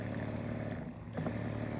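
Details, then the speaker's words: Old water pump, previously used while living in a tent, bench-tested for an off-grid greenhouse PEX heating setup: even low hum, steady pitch, no knocks or rattles; runs normally. "This is our old water pump that we used when we were living in our tent still. We're gonna go ahead and test it and see if it works."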